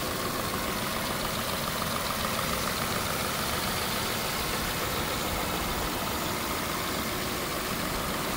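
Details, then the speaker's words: 2015 Subaru Crosstrek XV, hood up; steady even idle hum under fan and air hiss, no ticks or knocks; normal idle. "other than that no weird sounds coming from the engine go ahead and give it a drive"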